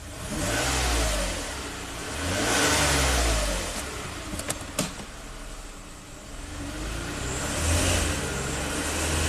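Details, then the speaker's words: 2007 Toyota RAV4 V6 at 427k miles, with a P0171 bank 1 lean code and power loss under load. Revs swell slowly on throttle stabs despite 45 PSI fuel pressure; a lean stumble attributed to clogged fuel injectors. "you can hear the engine is not responding very quickly even though our fuel pressure seems to be fine 45 PSI"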